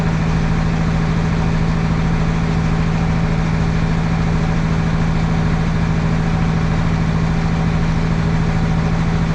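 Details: Caterpillar 3176 diesel at a roadside service call after a fuel leak repair; deep, steady hum with an even low beat, no misses or ticks; normal idle.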